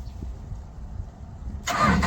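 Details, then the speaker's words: LeeBoy motor grader diesel with a universal Kubota ignition switch being fitted after the key was lost; starter wire touched to test, sudden short burst as the starter engages and turns the engine over: normal starter cranking. "okay so we know this one here you hear that cranking noise hear that so that mean this is 30 and that one's 50 because it tried to crank the engine over"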